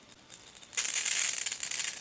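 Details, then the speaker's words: Quiet start, then sharp spitting, crackly hiss from a Ryobi Whisper Series 40V 2000 PSI 1.2 GPM pressure washer (RY40306BTLVNM), garden hose connected and power off, as trapped air bleeds from the spray line before the unit is started. "You can hear the air spraying out of that. That's what you don't want. You want to eliminate the air in the line before you start the unit."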